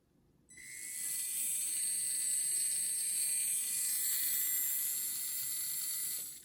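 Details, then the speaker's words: RC car MA-020 SP chassis conversion with newly installed motor and ceramic bearings, gear mesh test: steady high whine, smooth without binding; perfect gear mesh. "how smooth that is it's not binding or anything it's perfect perfect perfect gear mesh"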